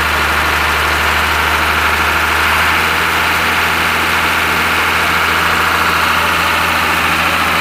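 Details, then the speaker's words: Ashok Leyland bus diesel, started after sitting many years, no smoke: smooth, even idle with a steady low rumble and no misses or knocks, running healthy. "ആ ലൈലാൻഡിൻ്റെ സൗണ്ടൊക്കെ കേട്ടില്ലേ, നല്ല super സൗണ്ടാണ്."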